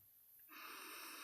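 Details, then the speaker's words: Pink-ring rechargeable ozone generator hacked to run directly on 5 V USB with no battery, drawing 30 mA: quiet, then an even, steady high hiss at switch-on with no crackle. Trace ozone smell. Normal corona discharge. "healthy hiss, and I'm just getting the slightest whiff. Just trace level of ozone off that."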